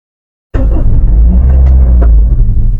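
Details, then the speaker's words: Automatic car with the gear selector in P (park): after failing to crank when not in the correct gear position, the engine catches on the first turn and settles into a deep, steady rumble; normal healthy start. "সাথে সাথে start হয়ে গেল"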